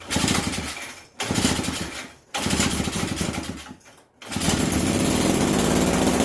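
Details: Bolens 322 snow blower curb find, small single-cylinder engine with fresh gas, cleaned carburetor, primed and on choke: catches after a few stumbling pulls, then settles into a fast, steady, even putter.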